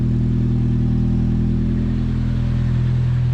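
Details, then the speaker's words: Nissan 240 at first startup after installing a new exhaust: steady, deep idle with an even low drone and no rasp or rattle, much quieter than the old exhaust; normal idle. "Wow, that's a lot quieter. I can actually hear myself now."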